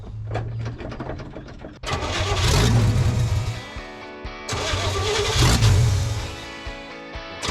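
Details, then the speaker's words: 1970 Chevy truck, carburetor reworked after flooding and breaking down on highway: about two seconds of cranking, then catches into a loud, even, deep rumble settling into healthy idle; normal start and idle. "Man, that thing runs good now. It's loud."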